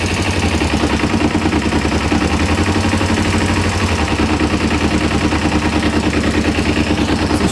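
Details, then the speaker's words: 1994 Kawasaki Ninja 250 (ZZR250), sat for years, cold idle: fast uneven knocking rattle at low revs that vanishes when the clutch lever is pulled; cause uncertain, clutch suspected. "it's really hard to say what's causing this I don't know if it's the the clutch certainly you pull the clutch and the noise disappears"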